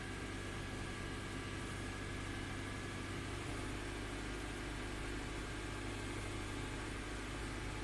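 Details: 2003 Honda Accord automatic, after a shift range sensor wiring fix for drive-engagement surging, stalling and a P0507 code: smooth, steady idle in Drive with no surging, hunting or stalling; sounds settled and healthy.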